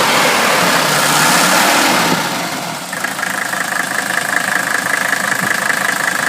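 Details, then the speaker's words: Restored 1981 Mercedes-Benz W126 300SD, OM617.951 turbo diesel, at idle: even, regular diesel clatter settling after a brief dip, no rattles, clanks or squeals; healthy engine. "there you go the engine sounds like it should there are no rattling sounds no clanking sounds no squealing it sounds like a very healthy om six one seven Mercedes engine"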